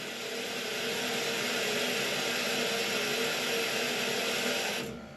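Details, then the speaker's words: Neglected muddy steam boiler after sludge cleared and refilled to the sight glass, boiler switched back on: burner fires with a steady even roar for about five seconds then drops away; normal burner operation. "Oh, it's running. All right."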